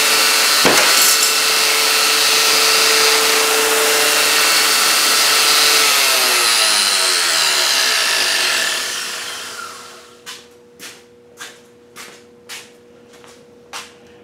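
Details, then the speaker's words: Homemade belt grinder on first run, plug-in only, cheap bearings: loud high rushing whine while spinning free, fading as it coasts down; noisier than expected, owner suspects imperfect bearings. "It's noisier than I expected. I don't know, maybe some of the bearings aren't perfect. They were cheap bearings"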